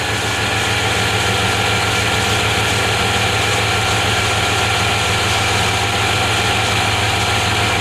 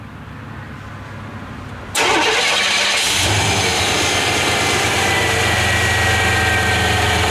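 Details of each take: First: 1993 Chevy Silverado with hard-starting issues traced to the fuel pump relay. Once running, a steady even idle with a smooth low rumble and no knocks, misses or surging; the owner says it runs perfect after it fires up. Normal idle. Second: 1993 Chevy Silverado hard starting: the fuel pump relay clicks and 12 V reaches it, but owner doubts a good PCM signal. Silence, short cranking, then a steady idle; a new relay ultimately fixed it. Hard starting, fuel pump relay fault.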